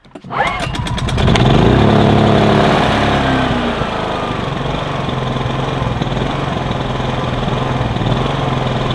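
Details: Kipor IG2600 digital generator (just over 2 kW) that sat dusty in a garage for years: pull-start rattle, quick catch and rev, then settles into a smooth steady drone without hunting; no leaks seen, runs healthy.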